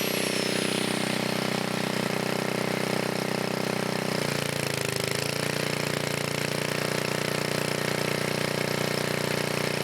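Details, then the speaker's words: 1980 Montgomery Wards 2200 W generator, Briggs & Stratton 5HP, after NOS block swap and carb rebuild, air breather off; steady drone dips briefly around four seconds then settles as governor catches load: normal running. "take the air breather also you can see the governor kicking in and everything so it's working right now"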